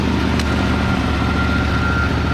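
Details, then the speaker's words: 1963 Ford Fairlane 500 with 260 V8, first start after 14 years, fuel in the carburetor: deep even burble and steady low rumble with no knocks or misses; idles smoothly, throttle linkage spring loose and sticking, some smoke. "Good Lord, what a fantastic Fairlane. Good Lord, what a Ford. That 260 sounds good, old man. Oh, leave it. She's idling."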